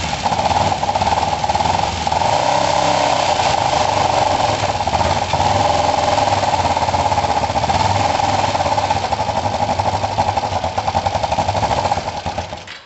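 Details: Kawasaki ER5 twin after a valve clearance set, timing work and a swap to second-hand coils: an uneven, stumbling misfire, no better than before and wanting some choke. Owner suspects the already-cleaned carbs.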